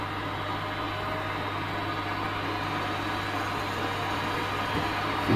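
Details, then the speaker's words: Worcester Greenstar 30SI Compact boiler in engineer mode at max, with the pipe refitted after the case removal; the flame lights and the fan runs at high speed with a steady, even low hum and smooth airy rush, no rattles or whistles. "so let's see what happens see lit flame lights come on high speed i'll go in the"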